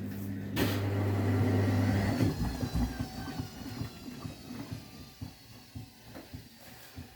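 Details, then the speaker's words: Vestel washing machine running in service/test mode: a loud hum gives way to heavy thumping about three times a second as the drum shakes hard on spin. "I know because it's going to shake a lot. Oh no. Dear heavens. I'm a bit of a scared. This is not going to be good."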